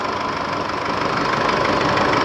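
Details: Isuzu D-Max 4JK1 diesel after repair of leaking injector washers, blocked injectors and cylinder head (previously revved only to 2000 rpm): steady, even idle clatter, no misses or hunting; healthy and settled.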